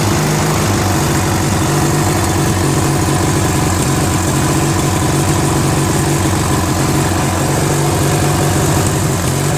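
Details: Briggs & Stratton 16HP opposed-twin engine on a Murray garden tractor, after freeing a stuck valve, flushing and fitting a carburetor: loud uneven lumpy idle; a carb screw and idle timing still need adjustment.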